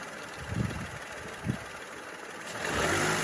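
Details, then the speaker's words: Peugeot 208 1.2 three-cylinder engine, one year of ownership, blipped twice then held higher: light top-end tick riding on the revs, described as normal for these ticky 1.2 engines; engine otherwise runs fine. "I'd like to also put out there, these engines are generally quite ticky, being a 1.2. 3-cylinder mainly, and that is normal with these little cars, so just going to put that out there before I start revving."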